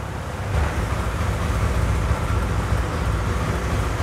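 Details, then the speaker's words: Honda Air Blade 110 scooter, fuel pump pressure tested good; low muffled drone that stays flat at full throttle, revs won't climb, chokes and stalls when throttle is opened hard; engine bogging. "anh em thấy mình ga lên nhưng mà xe ga Vâng đấy khách hàng đang nói với mình là ga mạnh lên cái là tắt ngay"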